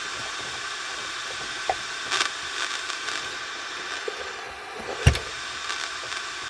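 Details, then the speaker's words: 1980s Hanimex radio (HR1300/HR1225): steady hiss and crackle with odd sharp pops and no station on the lower band, though the frequencies seem accurate; cause unconfirmed. "I think the frequencies are on spot on, but they're just doesn't tune the lower band."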